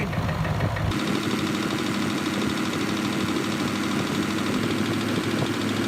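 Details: Range Rover Vogue TDV8 diesel after no-crank no-start repair, reassembled: brief crank, then fires and holds a steady even idle with no misses; runs fine now.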